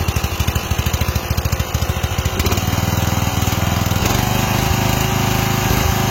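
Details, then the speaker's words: Westwood T1200 tractor after engine swap with replacement carburetor: single-cylinder engine steady at low idle, then surges unevenly when revved, governor hunting at higher revs. "Vous allez entendre qu'il tombe très bien à bas régime, mais quand on monte, il régule un peu."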